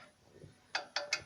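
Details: Chevrolet Aveo brake caliper, wheel off, during pad change before lubricating: three sharp metallic clacks as caliper is rocked, showing play that causes annoying knocking while driving; fix is greasing the guide pins.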